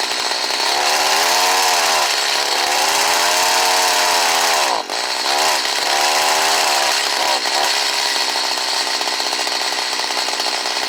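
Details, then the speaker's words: Stihl HS45 hedge trimmer, which sometimes would not start cold but ran fine once going, started on choke after priming. It holds a high, steady buzzing two-stroke wail with small rev rises and dips while running a little low on gas. Normal running. "now i'm going to show you it cranking up and running like it's supposed to"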